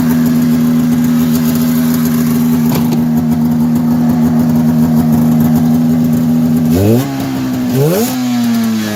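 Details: 1990 Polaris Indy 500 two-stroke snowmobile, sat outside since 2005, carbs cleaned, new plugs and gas, belt removed: steady buzzy idle with raspy blatting edge, two quick throttle blips; exhaust leak still to be fixed.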